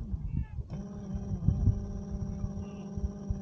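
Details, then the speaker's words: 24-volt electric trolling motor, tested on a single 12 V battery after its broken magnets were glued back and a rusted brush spring replaced: a steady, even low hum with no rubbing or clatter. Normal running after repair. "this is a 24 volt motor but it will turn with 12 volts so I'm testing it with just a single battery look at that"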